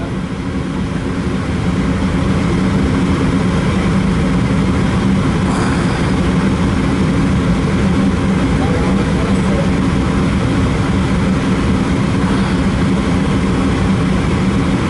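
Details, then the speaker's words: Attic gas furnace that fired for 3 seconds then shut down, after cleaning the dirty flame sensor: burners fire and hold a steady, even roar with low constant hum, no cut-out or surging; repair confirmed. "She should fire. Yeah, she fired up nice there."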